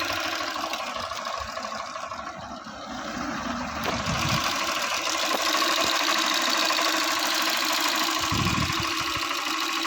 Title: Tappet noise problem again in Honda unicorn 160 #honda #india